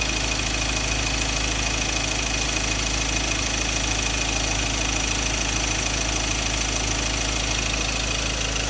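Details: Ford Ranger 2.2 Duratorq diesel, 2016 XLT 4x2 manual, idling with a sharp, regular rattle about three times a second. A fuel knock, possibly an injector problem, unresolved by the dealer.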